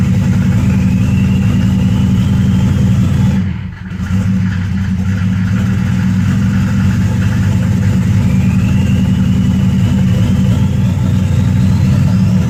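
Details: 1993 Mercedes OM602 diesel at idle: lumpy, uneven beat with a wavering note instead of a steady clatter; rough idle, cause not yet pinned down.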